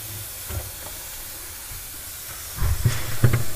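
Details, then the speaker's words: Viking Professional wine cooler with three evaporator coils: steady thin hiss with dull handling knocks as freon escapes from a leak at a corroded line near the evaporator, before unsweating and replacing tubing. "and then we'll put it back together so you can hear the freon coming out and it's right"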